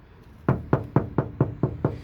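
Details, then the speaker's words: Ford Flex door section with no sound deadener, knocked from outside for comparison with a four-layer treated section: eight evenly spaced hollow knocks about three a second, each ringing briefly; bare door skin. "That's about as solid as you can get for that top section versus this that has no treatment."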